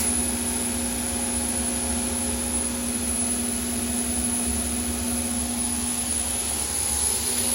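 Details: Overhauled GE unit with upgraded EZ Lube oil system, about 8 psi at inboard and outboard bearings; on startup the Easy Lube pump is expected to overpower the deadheading auxiliary pump: steady roaring whoosh, constant high whistle and low hum, smooth, healthy run.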